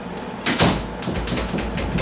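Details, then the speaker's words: Door closing after the strike plate was installed. A soft thud, then a loose rattling latch chatter. The strike plate needs bending further to fit the latch. "See that? That makes that noise. I don't like that. And so I'm gonna go ahead. I know I need to bend that a little bit more."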